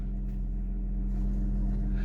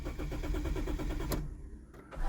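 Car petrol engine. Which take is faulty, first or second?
second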